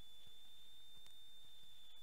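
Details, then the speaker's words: Thin, steady high-pitched whine from a DIY vocoder's power supply, now overloaded by six filter bands; it changes as the voltage pot is adjusted, and the -12 V rail sags to 11.5 V and won't come up. "you can hear that high-pitched whine now if I put my screwdriver in one of these voltage adjust pots on the power supply you can hear that as I adjust the voltage that"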